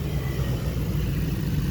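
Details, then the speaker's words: Truck with TBI fuel injection after cleaning clogged fuel tank, lines and pre-filter: steady even low rumble while revving, idle drops back cleanly, no stumbling; runs normally. "okay so we're running good still you can hear the idle dropped [Music] is going good it's acting good"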